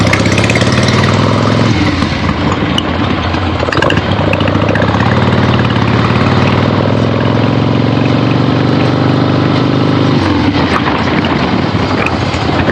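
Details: Finished 1975 Harley-Davidson XLH Ironhead Sportster after rebuild, basically stock, real road test ride with gas tank fitted, camera clipped to rider: loud steady V-twin with gear changes, no knocks or rattles; runs great.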